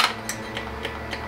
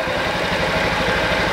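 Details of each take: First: Honda Ruckus at key-on, after carb jet cleaning, repeated key cycles: crisp even ticks about three to four per second over a faint hum; fuel pump priming normally. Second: Honda Ruckus scooter after its stock carburetor was cleaned in an ultrasonic cleaner and fuel was primed by cycling the key: fast rhythmic cranking with brief catches that die before it runs; hard start.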